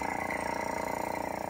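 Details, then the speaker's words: Nissan 300ZX Z31 with key in Run position: fast, even pulsing whir, about eighteen beats a second, from an unidentified small electric motor near the front bumper; owner wonders if it is an evap pump. "this noise I have no idea the key's in the Run position it is whatever's in this I don't know if this is some kind of evap pump"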